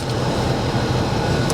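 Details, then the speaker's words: Kia Optima with about 23,600 miles, at auction: steady even low hum at idle with no knocks, misses or surging; sounds good, normal idle. "All right. 23,000 miles, yeah. 23,6 1/4. She sounds good."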